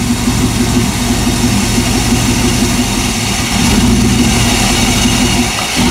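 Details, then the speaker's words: 1998 Chevy van 5.7 V8 after intake manifold removal, P0300/P0171/P0174: loping, stumbling idle, super lean with short-term trim 50% and long-term 25%, improves at higher rpm; suspected intake vacuum leak. "да дядь это супербедная смесь кратковременная корректировка 50 процентов долговременная 25"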